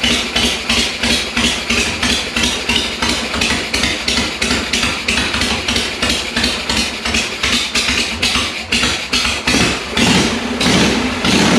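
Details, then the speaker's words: 1982 Harley-Davidson FXR Shovelhead, first start after long storage, with an ultrasonically cleaned S&S Super E carb (faulty float), bottle-fed fuel and the enricher on: a loose, uneven, loping idle. The idle needs adjusting, fueling is uncertain, and valves and rings may be sticking. "obviously see the idle is not right yet so I'll have to adjust that not sure if it's getting the right amount of fuel"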